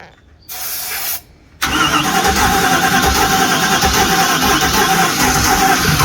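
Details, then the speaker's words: Holiday Mansion houseboat engine: starter churns it over steadily about three turns a second but it never catches; fuel supply suspected, electric fuel pump not buzzing. "Kind Oh. of sounded like it wanted At to. first it did, but now I'm not sure. I'm a little confused with what's going on now."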